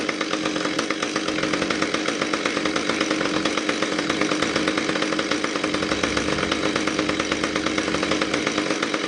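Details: Husqvarna T435 top-handle chainsaw, after repair of anti-vibration springs that had stretched beyond their limits and caused a won't-start, won't-stay-running complaint. Steady high-pitched buzz at constant high revs, even rapid firing with no stumbles or surges; it runs normally.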